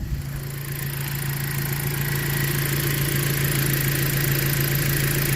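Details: 2017 Jeep Patriot, 142k miles, engine idling for the fluid level check right after a 6F24 six-speed automatic service with Amsoil Signature Series fluid; steady even low hum, no knocks, misses or surging, idling smoothly.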